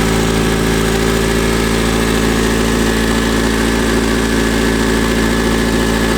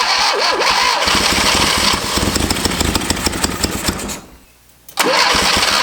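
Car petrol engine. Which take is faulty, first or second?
second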